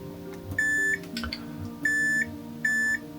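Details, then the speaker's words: Model railway locomotive depot, continuity tester probing track to check ground (Masse) feed on soldered turnout section: clear high-pitched beep sounds three times, ground connection present. "ne? Man hört es piepen."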